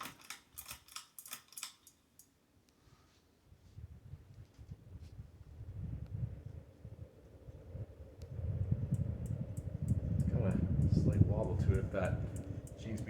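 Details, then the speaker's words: Polished brass 52-inch Hunter low-profile ceiling fan with added light kit, on medium: light irregular clicking about three taps a second as the tag beats against the globe from strong airflow, plus bearing crackle; bearings need oiling. "really cranking it out you hear that tag clearance side beating up against the globe sign of good air movement"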